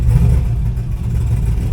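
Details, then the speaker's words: Camaro with misfire, in park after reduced-power throttle spiking, no code thrown: deep low idle rising and sagging unevenly, surging like crazy; low idle with surging, cause unknown. "and it's it's idling low and just surging like crazy so I don't know we'll see"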